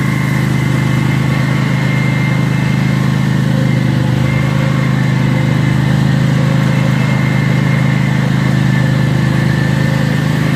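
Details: Cub Cadet zero-turn mower running after an oil and filter change and new fuel filters; a loud, raw, deep steady idle with a fast even beat and no muffling.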